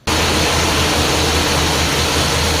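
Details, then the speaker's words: 1979 Chrysler B-body after power steering pump and pulley replacement, fluid filled at cold mark, leak check: steady even run, low drone, no squeal, knock or belt chirp; belt running true, no leaks, pump healthy. "well looks like it's running pretty true the belt well that's good i don't see any uh anything coming out of it"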